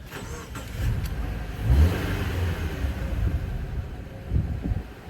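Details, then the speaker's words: 2013 Subaru Impreza with replacement engine, after replacing a broken black clip found underneath with one from the old engine: clean revs rising and settling smoothly, steady note without misses or ticking; check-engine light gone, running normally. "No more check engine. She is purring like a kitten."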